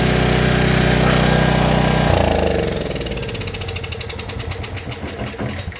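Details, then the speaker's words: Trash-picked 2005 Craftsman 5600 W generator, 10 HP Briggs & Stratton (204412-0147-E1), test fire after carburetor work, air box off, on choke: it catches and settles into an even, quick popping run; it starts and runs fine. "I'd call that a success. I don't know about you guys."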